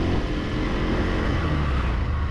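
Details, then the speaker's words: 2026 Bajaj Pulsar 150 Twin Disk, new bike, in second gear; smooth, even, refined engine note pulling steadily with no gear whine or rattle; first gear noted as making a sound, second gear quiet and healthy. "Engine అయితే చాలా refined అనిపిస్తుంది. So చాలా smooth side అయితే మాత్రం tune చేశారు."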